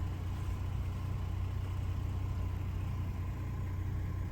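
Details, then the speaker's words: 2003 Chevy Trailblazer LTZ 4x4 4.2 I6 at normal idle after replacing leaking valve cover and intake manifold gaskets, plugs and coils (previous P0305 cylinder 5 misfire). Smooth, steady about 600 rpm with no fluctuation. "so now it seems to idle great look where it's at it's at about 600 rpm i don't know what the spec is but it's not moving it's not fluctuating it's idling nice"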